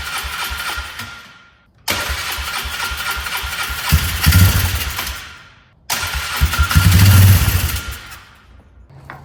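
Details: 2004 Polaris Trail Boss 325 four-stroke, parked 12 years, carburetor not yet cleaned: two long even cranking bursts that fade without firing; cranks but won't start, likely fuel-starved carburetor.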